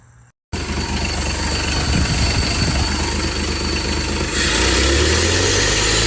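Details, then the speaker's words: 1967 Ford 300 six-cylinder running on a lawnmower carburetor sealed with gasket maker, fuel pressure regulator set to about one psi or less; steady even low idle rumble, no knocks or misses: normal running, though gas pours out at the carburetor. "all right as you can see it was running fine"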